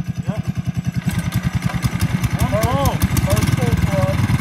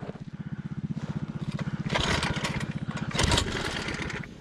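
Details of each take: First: 1980s MTD mini bike, sat 2 years, original 3.5 hp Tecumseh swapped for a Tillotson 212cc engine, on a 10,000 ft Rocky Mountain trail: catches and settles into a quick, even thump that builds and holds without misses; running healthy. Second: 1980s MTD mini bike with swapped-in Tillotson 212cc engine, climbing a steep high-altitude off-road trail: slow, labored single-cylinder thumping turns uneven and sags under load, rider running alongside, engine bogs and stalls.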